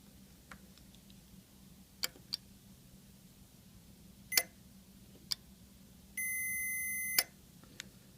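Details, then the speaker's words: Yamaha RX-V795 receiver relay with previously burnt contacts, bench-tested with 9 V battery on coil and continuity tester on contacts: crisp single clicks as it pulls in, then steady continuity beep; relay clicking normally. "it works all I did was I put my test leads on each side of the contacts of the relay and then connected just did my nvt battery on the coil side hear it clicking"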